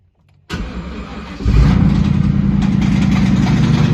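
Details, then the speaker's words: 1999 Ford Mustang GT 4.6 V8 cranks, catches and settles into a rough idle with a deep steady knock under the exhaust: rod knock, run long enough to spread metal throughout the engine, which is done and to be replaced with another 4.6. "so in the end that motor is done the amount of time that it's been running with a rod knock there's metal throughout the whole engine"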